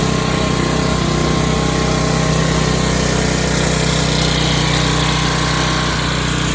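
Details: 11 hp Briggs & Stratton flathead swapped into a riding hauler, magneto kill bypassed; races fast and high-pitched with a drone that never settles, not reliable sounding.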